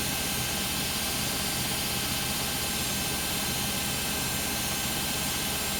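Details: Beko WM5100W 5kg washing machine, found on the street and plumbed in, test-running a rinse with rags: during a roughly 10-minute spin a loud, steady rushing roar with a high whine, with no clear knocking. The spin is very noisy; cause unconfirmed.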